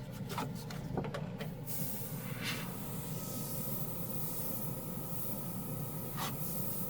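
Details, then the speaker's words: Portable airbrush compressor (rated up to 40 PSI) with pressure dialed down for fine lines: steady low hum without pump strokes or rising hiss; motor still running but not pumping air at the low setting. "it does on when I turn it down it's it's just humming now it's still making a noise but it's not pumping air"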